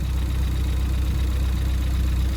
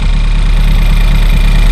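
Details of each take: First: Ford Fiesta ST180 after a high pressure fuel pump cam bucket swap, cranked first to build oil and fuel pressure: smooth, even idle with the pump tick gone and only the light injector tick normal on these cars; normal idle. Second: Ford Fiesta ST180 1.6 EcoBoost direct-injection engine at idle: fast light ticking over steady petrol idle, believed from the high-pressure fuel pump, whose cam bucket wears concave; owner replacing the cam bucket.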